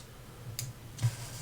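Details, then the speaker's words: Unserviced 1984 Seiko 6309-7049 Turtle dive watch: two crisp clicks about half a second apart as the day and date quickset snaps over normally. "okay so day and date click as they"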